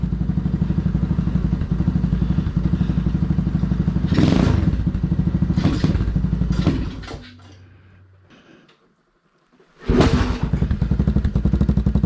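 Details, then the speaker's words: Small engine on homemade 607 lb tractor, started after carb jet change: chugs along then heavy thumps and clatter in bursts before dying; drive chain likely skipping on sprocket, owner suspects it needs more tension. "we still we still skipped the uh thing down here so not cool i'll figure that out too might need some tension there as well"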